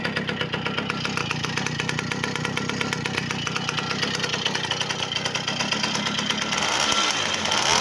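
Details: V50 two-stroke after full overhaul with a Dio piston: even, crisp putter at idle picking up smoothly as throttle opens; engine runs perfectly.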